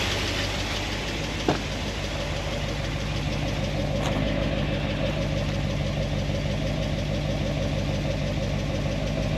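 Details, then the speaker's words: 1976 Corvette engine with solid roller lifters on a hydraulic roller cam, warm idle after a heat cycle (about 200, thermostat open), valve lash reset from 10 to 5 thousandths; light fast uneven ticking remains but quieter than before, pushrods rubbing their guide plates. "It's still making a little bit of noise, but not as bad as before."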